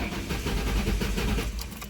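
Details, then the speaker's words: 2003 Ford Mustang GT: starter cranks in a rapid even churn but the engine never starts, shown as a sign of a bad fuel pump, before fuel pump diagnosis and replacement. "so signs of a bad fuel pump it'll crank but it won't stop"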